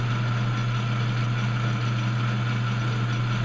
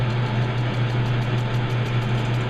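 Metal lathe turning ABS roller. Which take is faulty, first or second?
second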